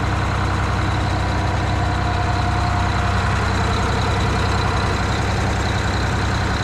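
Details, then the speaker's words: Eagle bus diesel, idling: steady low rumble with a fast puffing tick about four per second and a little smoke; the owner says it sounds like a few exhaust leaks. "Sounds like we got a few exhaust leaks. Little bit of smoke."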